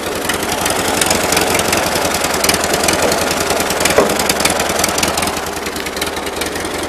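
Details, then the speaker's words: Uneven, lumpy idle with irregular firing pulses on a 1941 Ford 9N tractor. It sounds the same with the air intake off and runs on all four cylinders under load; the cause is unclear, with carburetor or ignition suspected. "but he always sounds like the cylinders are just polluting there's something I don't quite know how to explain it"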